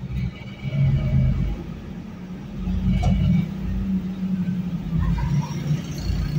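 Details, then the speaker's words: 2008 Ford Explorer Eddie Bauer that earlier misfired mostly on cylinders 5 and 7, loaded in reverse against the brakes: a deep, even rumble with no stumbles. It now runs clean under load with no misfire. "A ver, ya no falla. Ni el cinco ni el siete, que eran los que más fallaban. Estos piquitos así son normales cuando uno la está acelerando."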